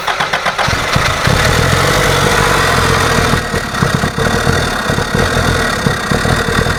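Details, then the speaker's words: Toyota Hilux with points ignition, old suspected bad condenser still fitted: engine starts and runs unevenly with ragged stumbling beat, barely runs; rough running from weak spark, cured by replacing the condenser. "all right so we've seen how this running it's running like a beggar dog won't run at all"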